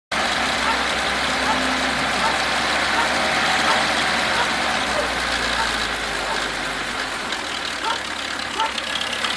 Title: ВАЗ 21011 стук в двигателе